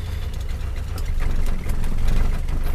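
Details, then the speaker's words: Rover P6, not yet warmed up, choke nearly fully in: low idle with an uneven, lumpy beat and a brief dip in speed, no carb spluttering; rough idle while cold. "not yet and running a little lumpy name but sure sure ever up no kafra splattering but she's just running a little bit lumpy"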